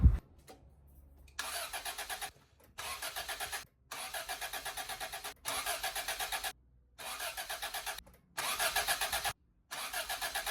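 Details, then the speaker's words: Toyota AE86 with carburetor, after new fuel pump install: repeated bursts of starter cranking with gaps, about seven attempts in ten seconds, not catching yet; owner thinks air in the line needs a few cranks to prime fuel back to the carburetor. "so it takes a couple cranks to prime that line to get the fuel back into the carburetor. So it's probably gonna do that now, so we're just gonna get it up and running"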